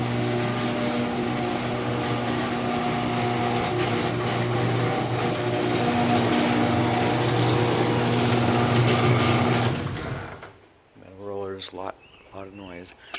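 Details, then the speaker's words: LiftMaster 3265M garage door opener (about 2014) with 377 keypad, second door: steady motor drone with a fast, even rattle of worn rollers in the track for about ten seconds; rollers sound even worse than on the other door. "rollers on this one sound even worse close that one"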